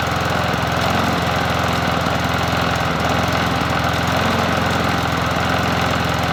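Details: Bolens 21-inch push mower 11A-B0BL765 on a cool 57°F day, after cleanup with the cover refitted and spark plug reconnected: steady drone with a firm, even chug and no misses or surging. Running smoothly.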